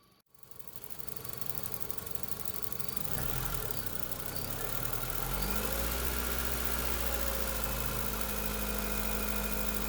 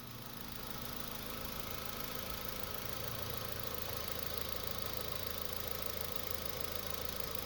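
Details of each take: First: 2005 Honda Civic 1.7L engine idling: crisp, even tapping about four per second that quickens as it revs, first suspected as valvetrain but felt at the purge valve; faulty purge valve tapping. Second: 2005 Honda Civic 1.7L idling after replacing a noisy purge valve (tapping noise) with a different brand: only a faint, soft ticking from the new purge valve remains, which is normal, no loud tapping; normal idle.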